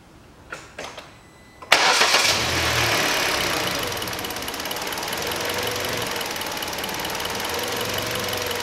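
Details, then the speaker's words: 2012 Hyundai Solaris 1.4 with misfiring, poor revving and high fuel use; started after replacing spark plugs with NGK LZKR6B-10E, no fault codes stored; rpm still rises and sags unevenly, rough idle, cause not found. "Ничего не изменилось, обороты все равно подплавывают почему-то."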